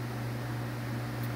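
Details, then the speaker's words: Dayton 1LPN8 AC gear motor, oscillator for an outdoor greens fan, after regreasing gears with marine grease and reassembly: quiet steady low hum, no gear grinding or clicking, rotating again, repair fixed it; normal running. "i hear it and yep there it goes it is now rotating again and that fixed it"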